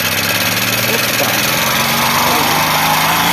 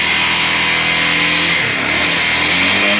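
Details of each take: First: Honda Bros 150 single-cylinder, noise began after clutch disc replacement: harsh metallic clatter about four per second until shutdown; oil not reaching rockers and camshaft, engine seized at last start. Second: Honda Bros 150 motorcycle that had no spark: engine catches and keeps firing with a steady, busy buzz and small speed swings, running normally once spark restored after a part was replaced.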